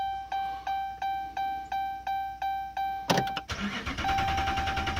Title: 2011 Ram 2500 Hemi won't start..sick of this